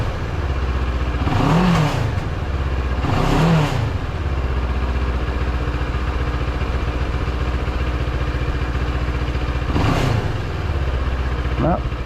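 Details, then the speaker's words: 700MT parallel twin in neutral after fixing the common TFT-screen cowl vibration noise: rises cleanly through three blips and drops back to a steady idle, with no buzz or rattle from the front cowl. "don't you love the sound of these big twins they're very much like a V Twin I love the sound of this thing"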